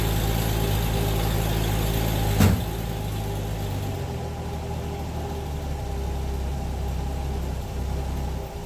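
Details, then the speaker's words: Fox Body Mustang that sat for a long time: steady starter cranking near four beats a second with no catch, though the fuel pump runs and there is fuel pressure; owner suspects old fuel or no spark. Crank, no start. "just a crank it's fueler spark I would think I am hearing the fuel pump I do get fuel pressure"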